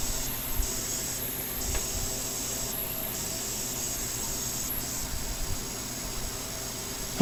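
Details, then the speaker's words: ASRock Z170 with i5 6600K, just powered up past POST: steady airy hiss with faint high whistle switching on and off every second or so, source unclear; owner suspects the motherboard is faulty. "I think the motherboard's making a noise. That's weird. Maybe that's what's wrong with it."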